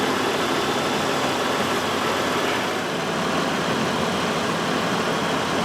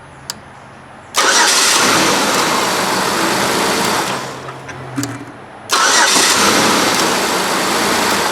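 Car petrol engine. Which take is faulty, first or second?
first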